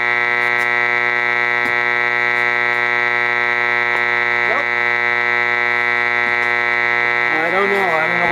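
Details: Admiral Model 5R12-N vacuum tube AM radio under repair, after IF touch-up and back in its case: a steady harsh buzz over the output with a few tuning chirps. External electrical interference of unknown source; something overhead suspected.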